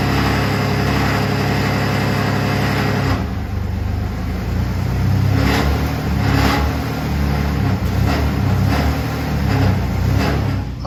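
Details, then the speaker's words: Vehicle at slow speeds: low engine rumble with irregular light metallic rattles from underneath; the exhaust pipe joint was tight but misaligned, and realigning it fixed the rattle. "so all right we got that little rattle noise fix the exhaust pipe where it goes together right there was misaligned a little bit and it was causing it to rattle"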